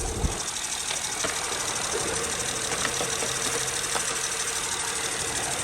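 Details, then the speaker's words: Acura/Honda J-series V6 after drive belt and tensioner replacement: steady, even idle with no squeal or chirp from the belt; accessory drive quiet and healthy, previous noise gone. "So as you can see, the car is now running. I no longer hear the noise. The belt is not squealing. So that means the job is done."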